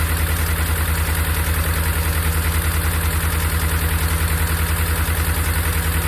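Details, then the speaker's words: Hemi V8 sounds normal at first, then at idle sharp steady ticking about 2.5 per second; not normal lifter noise, MDS solenoid code on cylinder 4 suspected, found to be worn cam and lifters. "there goes the way sounds pretty normal right now just wait to idle down [Music] and there we go not a normal lifter noise"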